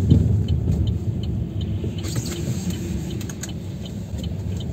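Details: Chevrolet Aveo T300 on rough road: irregular light rattling over heavy road rumble from loose front brake calipers and pads, which stops when the brake is pressed and returns when it is released.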